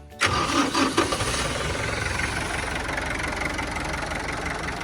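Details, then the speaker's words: Kubota M9000SU 90 hp turbo diesel tractor, started without glow plugs: fires within a few turns and settles into a very quiet, smooth, even idle; a normal cold start. "ครับฟังเสียงเครื่องนะครับเสียงเครื่องเงียบมากครับนิ่มๆเลยครับ"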